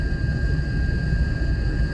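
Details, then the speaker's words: Lexus LS430 at 70 mph cruise, chassis-ear microphones on both rear hubs and rear differential housing, noticed after rear diff fluid change and tire rotation: thin steady whine over road rumble, rising in pitch with speed — rear differential whine suspected, not confirmed. "Some people said the diff was going to be noisier just cuz the gear mesh. So, I don't know if this is a normal sound or not. Right now, cruising 70."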